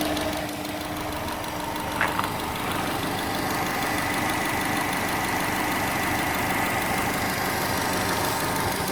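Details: 2006 Subaru Legacy Spec B petrol engine knocking at idle when parked and in first gear while releasing the clutch, but not in other gears. A dull, steady knock of about three beats a second persists after 15 minutes of driving.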